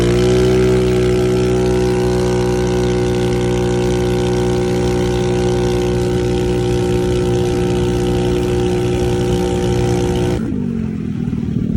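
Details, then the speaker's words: Carbureted engine after carburetor tuning, checked with wideband: steady, even drone at constant speed for ten seconds, then clean shutoff; about 12 AFR idle, 13–13.7 cruise, called perfect. "so at an idle we're doing pretty good at like 12 afr at a cruise we're at like 13. 13.7 12.5 that is perfect"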